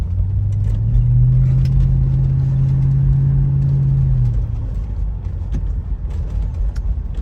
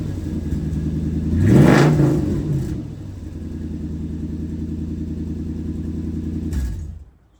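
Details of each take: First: Toyota 100-Series Land Cruiser driving after exhaust leak repair with welding: smooth, deep, steady exhaust rumble, not too loud, no rattles or leaks, and the pipe no longer hits the chassis. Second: Toyota 100-Series Land Cruiser V8 before repair: loud raw deep unmuffled rumble blaring when revved; cats and muffler rusted through, worst exhaust leak, beyond patching or welding.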